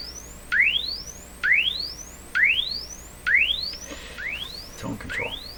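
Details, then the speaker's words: RCA Victor 67V1 console radio after replacing its paper audio capacitors, including the tone control capacitors, run on a dim-bulb tester: rising test sweeps about once a second, clean with no hum, crackle or dropouts; volume about the same as before. "changed the tone control capacitors both the same volume level i'd say"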